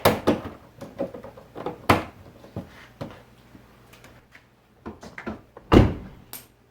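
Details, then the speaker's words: 2001 Chevy Silverado driver's door after the worn door check was replaced: it swings and shuts several times with clean single thunks and no clanking in between; much quieter, normal door check operation. "No longer do we have the clank clank. It's much quieter, so it's good."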